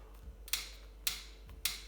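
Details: Cane Creek Thudbuster ST suspension seatpost: three crisp dry clicks about half a second apart when load is put on it, also happening while riding, especially under hard pedalling; clicking/squeaking, cause not yet found, owner considers it a warranty case.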